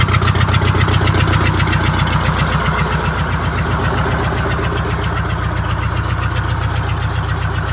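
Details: Scenicruiser bus, Detroit Diesel 8V71: heavy diesel clatter at idle with a lumpy, loping beat about two and a half per second; one cylinder dead, later bypassed by cutting fuel to that injector.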